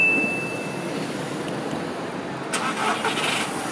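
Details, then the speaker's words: VW Polo with a faulty camshaft position sensor (code P0342) that causes long starts: this clip shows a normal start for comparison, a brief crank that catches almost at once and settles into a smooth, even idle. "that was pretty long I listen this is how it normally sounds"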